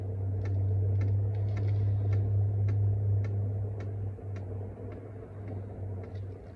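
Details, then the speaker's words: BougeRV 5kW diesel heater starting up on about 12.3 volts, glow plugs warming, not yet lit: steady low fan hum under sharp pump ticks about every quarter second, pump getting quieter and faster; normal startup. "Oh, and the pump is getting quieter. Here it get quieter and quieter. Now it's going a little faster."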